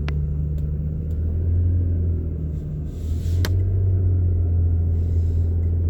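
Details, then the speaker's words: 2007 Toyota Highlander Hybrid, recently bought, climbing a hill under load: steady deep drone from engine bay with faint ticks; heard only when revving fast, climbing or passing, not at slow acceleration or in park; cause unknown. "But I am about to climb a hill, and you notice the sound."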